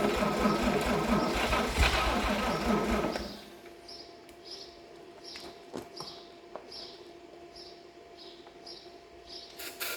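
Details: 1954 Chevrolet 261 engine that sat about 40 years in a shed, Marvel Mystery Oil put in the cylinders: slow, loose cranking for about three seconds, gasping but never catching; turns freely but won't start.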